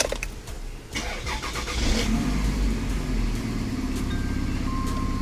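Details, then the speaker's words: Vehicle with a misfire, after all coil packs were replaced: short crank, catches at once and runs smoothly and revs well with no miss. Misfire fixed. "Okay, so we didn't even have to wait long. The vehicle sounds really, really good. Really healthy. Yes, man. It's revving really good."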